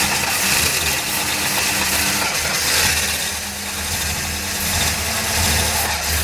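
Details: 1966 Chevelle engine being rebuilt, after oil-filter work and priming cranks, fuel supply in question: starter spins the engine with a steady rhythmic crank but it never catches; crank no start, cause suspected, not confirmed.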